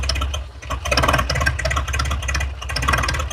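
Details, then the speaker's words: 1966 International 1100 pickup idling at about 300 rpm per the tag, with a steady low rumble. A tick like an exhaust leak comes from a rudimentary EGR-type port; with it covered, the ticking fades and the idle runs smoother. "listen to that thing it is running at 300 RPM that's what the tag says"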